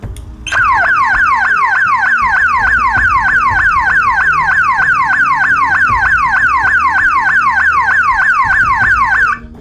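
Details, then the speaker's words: 12-volt alarm siren, bench-tested with its green wire moved to positive to select the alternate tone: a loud, police-like electronic warble sweeping up and down about three times a second, steady throughout; siren working properly. "that almost sounds like a police car or an ambulance or something but anyhow that's the reason for the two extra wires"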